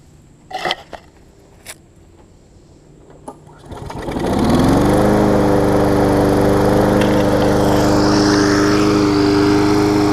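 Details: Rally mower fitted with an engine swapped from a pressure washer donor, after carburetor cleaning and a JB Weld gas tank pinhole repair: it cranks briefly, fires and settles into a steady, even single-cylinder drone with no misses or surging. It runs healthy.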